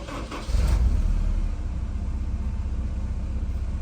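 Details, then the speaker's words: Honda S2000 with misfire and check engine light, valves suspected set too tight by dealers, starter suspected: sluggish, lazy crank before catching, then even steady idle without obvious shaking; slow start. "So it doesn't idle bad. It kind of started lazy, but we'll still go through all that sequence."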